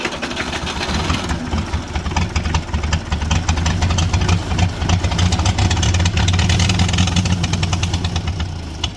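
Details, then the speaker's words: International Harvester B275 diesel tractor, started with glow plugs and ether: hard rapid clatter held at high steady speed, never dropping to idle; runaway because the injection pump shutoff rod wasn't pulled fully back. "uh but then it kind of ran away from us so I did a little more digging on this pump and the issue that we had was this Rod was not getting pulled all the way back to shut this off"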